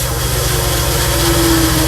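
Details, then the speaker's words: Pressure washer pump running with unloader/pressure relief bypass valve set too loose: steady low rattling pulse over pump drone as too much water bypasses; adjust by sound and feel. "hear that rattling going that's too much water going through"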